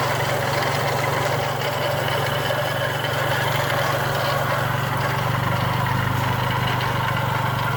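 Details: Chrysler PT Cruiser engine idling, heard from outside the car: loud, constant scrubbing rattle over a steady low hum, traced on teardown to a failing water pump bearing.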